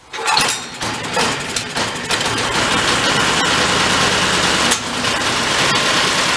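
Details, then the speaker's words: Old Homelite pressure washer engine stored about 20 years, carburetor cleaned, no fuel filter, choke on, throttle mid. A few rough pulls, then it catches and settles into a steady, even buzz with no stumbling; runs healthily, air-fuel mix may be adjusted later. "sounds pretty good we get towards the night though we can jump that air fuel mix a little"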